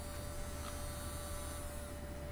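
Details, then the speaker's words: JSDA eFile nail drill running at about 17,000 rpm forward while sanding balsa wood: soft steady buzz with thin constant whine, almost no vibration or rattle; normal quiet running. "it's a very quiet unit you do hear the bird itself but you do not really hear the unit there's almost no vibration and very quiet"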